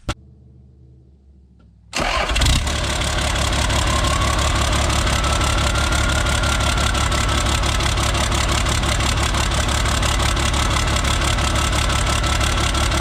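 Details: Isuzu cab-over diesel, cold, exhaust straight-piped from the turbo, started before the injection-pump harness is plugged in (it runs rough and smokes when plugged in). Catches at once and settles into a steady, even idle; normal cold start.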